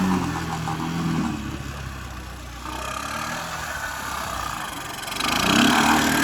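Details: 1984 Honda ATC 200M three-wheeler barn find, revived after 30 years and parts replacement, needs fine tuning; single cylinder pulls cleanly through revs and settles back, no misfires or knocks, runs like a charm.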